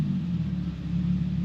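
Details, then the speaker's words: Infiniti G37/Nissan 370Z after throttle body cleaning and a properly timed idle relearn: low, smooth, even idle with no hunting, returning to about 650–675 rpm, normal. "So just want to see, sounds good. Make sure it returns to idle. So does it return to idle? Okay. 675, 650, awesome."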